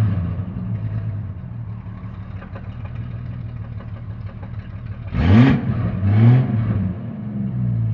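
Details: Jeep Cherokee XJ 4.0 High Output: low, uneven rumble at idle swelling with each throttle blip; noise traced to the torque converter, not the engine.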